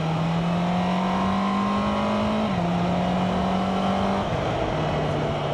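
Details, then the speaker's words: 2025 Honda CB650R E-clutch, 650cc inline-four with manual gearbox and auto clutch: smooth high-pitched wail climbing evenly and dropping cleanly at each shift, no rattles or misses; healthy engine revving. "Yeah, sounds absolutely gorgeous."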